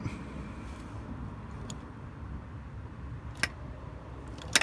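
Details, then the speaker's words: Land Rover Defender TD5 LT230 transfer box diff lock, formerly seized with a faulty warning light, after its stiff linkages were cleaned and freed: crisp, sharp clicks as it goes on and off over quiet; clean, normal engagement. "Hear that click? That's what it's meant to sound like. On, off. It's working perfectly."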